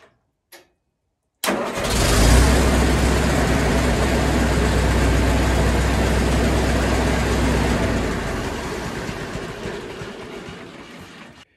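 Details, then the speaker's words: 1974 International 354 gas tractor after installing an aftermarket generic starter solenoid: quick crank, engine catches at once and settles into a steady, even low idle; starts and runs normally after repair. "Okay, everything's working, and there you go. That's how you install an aftermarket generic starter solenoid."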